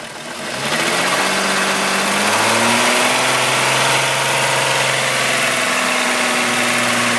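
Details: VW Golf VR6 2.9, 103,000 km, at idle after replacing upper hydraulic chain tensioner: busy metallic rustle and faint chatter; earlier chain-rubbing noise got louder, timing chain suspected, unconfirmed.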